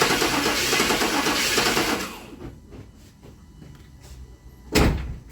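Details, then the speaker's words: 1997 GMC Yukon 5.7 L cranks about two seconds but won't start; timing was off and has been retarded to top dead center, yet injectors deliver no fuel; steady starter churn with no firing. "We retarded it to where it's top dead center now, and I just don't understand why the fuel wasn't getting delivered to choke it up like it did before."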